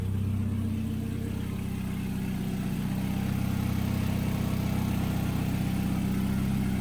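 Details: CA18DET-swapped Miata, start after fixing cold-start problem: starts straight away, steady even idle with smooth low hum, no misses or knocks, a little smoke burning off; healthy.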